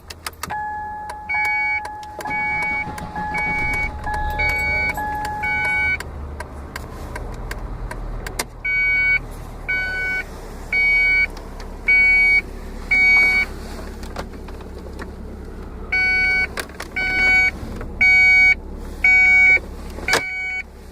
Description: 1994 Ford Contour strange noise of unknown origin... Happens every 30 minutes.